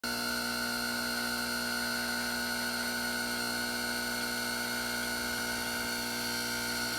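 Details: Gaggia Anima espresso machine running with a steady, high, piercing whine and buzzy motor tone held constant throughout; whining noise, source unknown.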